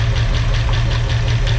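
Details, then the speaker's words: 1965 Mustang V8 first start with used lifters: rough lumpy idle with regular stumbles and noisy lifters; timing too far advanced, sounds better at 8–10° BTDC, then a hesitation. "sounds like it's missing"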